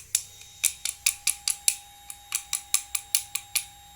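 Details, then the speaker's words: Carburettor-to-injection converted motorcycle, ignition on, pulser triggered: sharp high ticks in quick irregular bursts over a faint steady tone as the fuel pump responds; no fault codes, fuel pump operating normally. "Oke, jadi ketika terkena rangsangan fuel pump bunyi, berarti semua bekerja dengan normal."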